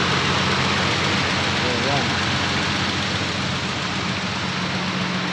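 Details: 1990 Nissan Safari after its crank no-start fault is fixed: an even, steady idle with a smooth low drone and no knocks, misses or hunting.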